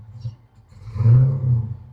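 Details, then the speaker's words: Whipple supercharged SRT Chrysler 300 V8 with JBA exhaust and cam, smokes on startup and when driving, belt squeal suspected slipping: idle swells briefly on throttle then sags, engine wants to die as soon as gas is given. "So, it wants to die as soon as I try to give it gas."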